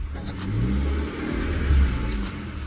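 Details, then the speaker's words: Cheap high-mileage Skoda Fabia 1.2 with a broken exhaust, after exhaust repair: pulls up through the revs with a deep, even, muted exhaust and no puffing or blowing; no exhaust leaks, quiet as intended. "yeah that sounds a bit more like it yeah very quiet yeah that's it that's how it's meant to be"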